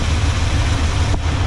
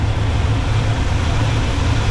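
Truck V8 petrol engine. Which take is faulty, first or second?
first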